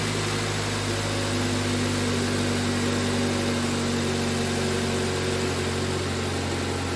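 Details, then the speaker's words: 2005 Toyota Corolla after valve cover gasket repair (oil leaking into spark plug wells, P0304 misfire): steady, even idle with a smooth low hum and no stumble or skip; misfire gone, normal idle. "so uh just make sure that the misfire is gone I can already hear that the vehicle is running okay now"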